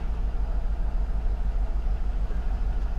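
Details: Mercedes S55 AMG, Copart car, now running after a no-start, backing off the hauler with no brakes: steady, even low rumble with no misses, knocks or stumbles at idle and creeping; running healthy.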